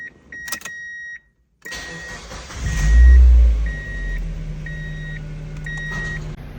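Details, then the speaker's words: 2001 Mazda Miata (NB) started after fuel filter replacement to check for leaks: door chime, a short crank, then the engine fires with a brief flare and drops to a steady, even idle. Normal start. "All right, let's bring it down and start it up and see if we have any leaks."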